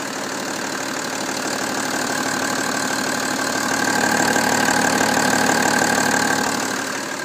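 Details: BMW M57 diesel at idle with an even, fairly regular clatter about four beats a second over a steady drone; abnormal engine noise, cause not clear.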